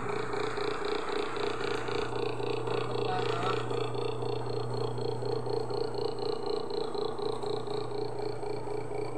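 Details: Asahi electric fan after repair with replaced capacitor and reassembled gearbox and shaft: runs steadily with an even low hum and a soft regular whoosh about twice a second; normal running.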